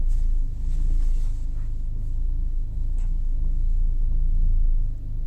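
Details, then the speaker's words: Nissan Almera engine at idle in drive on a warm 33° day, steady low rumble with no whine or squeal after topping up low power steering fluid that had caused a cold-start pulley whine, worse when steering. "so it's not that squeaking pulley noise anymore there you go hope that helped everyone"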